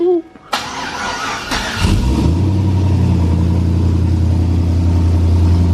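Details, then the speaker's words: 1000+HP Chevrolet Colorado, first start with built motor: engine fires after cranking and runs loud, deep and chuffing with a raw edge; bad exhaust leak. "oh [Music] here we got a bad exhaust leak"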